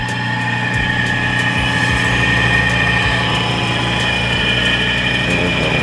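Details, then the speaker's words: Electric motor before repair, no capacitor fitted: steady electrical hum with no run-up, stalled until nudged by hand. "So as you can hear, medyo umuungol siya, so kailangan natin sagihin ito ng konti para"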